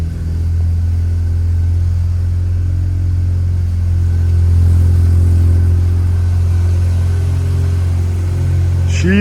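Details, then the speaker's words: Rebuilt barn-find Mazda RX-7 rotary, after a missed spark plug that made it stall after 5 seconds was fixed: smooth, steady low drone with no misses or knocks. Normal idle, slightly high because the TPS is not yet set. "running, boys. Listen to that purr. It sounds so good."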